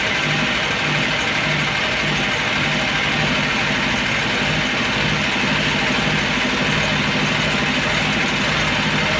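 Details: Engine warmed to full operating temperature after sitting a day and a half, hot idle with a light, uneven metallic tapping from the top end over a busy hiss; oil pressure lamp flickers when hot; heavily worn camshaft knocking in its bed.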